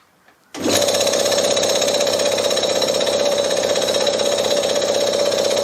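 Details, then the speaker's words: Briggs & Stratton lawnmower engine converted to an air compressor, belt-driven, first run unloaded with both sides open: starts abruptly, then an even, fast rattle and steady mid tone, no knocks or surging; compressor runs. "not pretty happy with that for a first run of course it was open both sides but uh very encouraging so the compressor runs"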